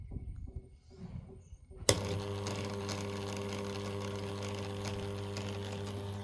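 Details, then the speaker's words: Samsung washing machine that showed error 1E, after replacing the water level sensor: steady, even low hum with no knocking or grinding; runs normally, no 1E error. "Okey, sekarang ni Bro dah hidup dah tak keluar error 1e."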